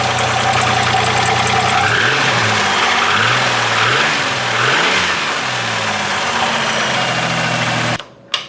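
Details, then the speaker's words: Piston slap on a 1997 Camaro 3.8 L Chevy V6 (supercharged project): revving engine with a hard diesel-like clatter over the exhaust, from cylinder bores larger than the pistons letting the skirts rock; block and pistons are worn out, compression likely lost. "the cylinder bore is slightly larger than the piston therefore that's your piston slap the skirts are doing that they're making that noise which means oh yeah your block and cylinders or your pistons are toast"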